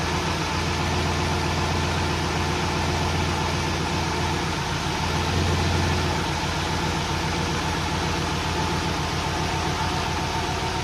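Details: Volvo 240GLE with turbo LS2 V8 swap, first running after 8 years, after adding 15 litres of E10 to fix low fuel pressure from sucking air; steady even V8 rumble with no stumble, surge or misfire; normal running.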